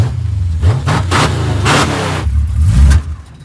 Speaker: oh and we need to put a sorter in the carburetor to make that stop happening